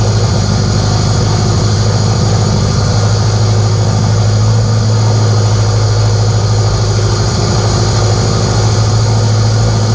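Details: K24a2-swapped Acura Integra, first start after an injector issue, radiator not fitted, open downpipe: loud, steady, even idle with a deep drone from the downpipe, no knocks or misses; normal idle.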